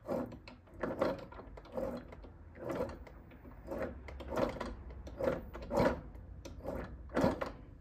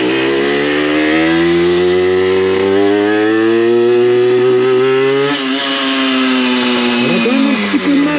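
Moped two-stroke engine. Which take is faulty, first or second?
first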